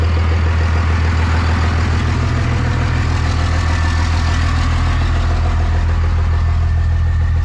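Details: 1998 Dodge Ram 2nd-gen Cummins diesel, first run after problems figured out, no coolant so run briefly: deep steady low rumble, even beat, no misses or knocks; oil pressure and charging OK; normal idle.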